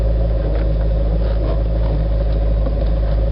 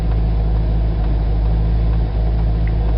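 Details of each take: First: Corvette idling with windows up, front tires on plastic bags, steering wheel turned: low steady moan/groan from steering, quieter after Teflon lubricant but still present; source not pinned down. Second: Corvette at standstill with the engine running and front tires on plastic bags, after Teflon lubricant on both sides of the firewall and at the steering wheel. Steady low engine rumble while turning the wheel, no column moan or groan; fixed.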